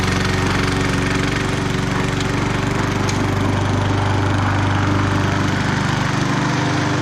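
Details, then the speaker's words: Bolens 22-inch side-discharge push mower with Briggs & Stratton 500 series engine, revived from a no-spark no-start, cutting the thickest grass: steady, even engine beat with no misses or surging; running healthy under load. "i'm going to start it up this is about the thickest part of the grass i have"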